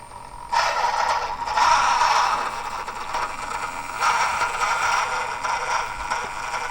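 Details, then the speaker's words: Hobby Plus CR-18P Pro Juice Up Edition brushless RTR crawler, crawling indoors on obstacles: busy mid-pitched whir with a gritty rattle rising and falling with throttle. Slow control feels jerky and the Hobbywing ESC seems to sputter. Noisy drivetrain. "this thing is noisy I don't know if you can hear that can you just hear that"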